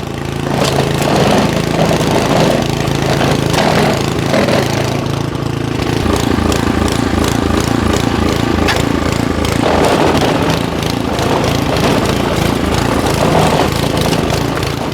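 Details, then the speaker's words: Simplicity SS922E single-stage snowblower, serviced days earlier, running outdoors about 50° colder than the 60° garage where it ran fine: loud uneven engine speed rising and falling every few seconds. The owner suspects the carburetor needs more cleaning; engine surging. "now you can hear that this is surging a little bit but when I got done with the service in the garage where it was about 60° it ran fine but right now it's about 50° colder so uh I guess I got to clean that carburetor a little bit more"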